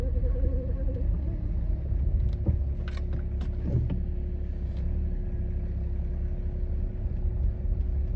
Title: BMW E91 xDrive: Humming noise from the drivetrain